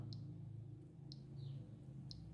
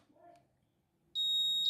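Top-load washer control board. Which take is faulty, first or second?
first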